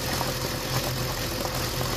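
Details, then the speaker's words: BMW M54 petrol engine idling with a newly replaced, working PCV valve; dipstick pulled, faint sucking slurp from the open tube and slightly uneven running: normal PCV vacuum. "Teraz pytanie, czy po wyjęciu tego bagnetu oleju powinno tak siorbać, jak widać trzęsie silnikiem, nierówno pracuje i słychać takie siorbanie."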